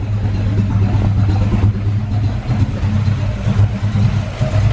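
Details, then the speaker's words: Carb-swapped SN95 Mustang V8 after the carburettor air bleeds were backed off: low, lumpy, surging idle that barely keeps running, puffing black smoke, air-fuel reading about 11.0; mixture far too rich. "That sounds really bad. It's puffing black smoke out too, like it's really rich. Okay. Yeah, it's super rich right now."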